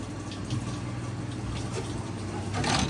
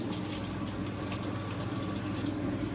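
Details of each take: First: Maytag washer, likely model MVWB765FW1, won't drain or spin, codes F9E1/F9E2; in diagnostic mode test 8 the drain pump hums steadily with a faint trickle but moves no water, so the pump is bad and gets replaced. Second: Maytag washer, model believed to be MVWB765FW1, in diagnostic mode with the cold valve test selected: a steady, even rush of water into the tub with no chatter or buzzing; the cold inlet valve fills normally.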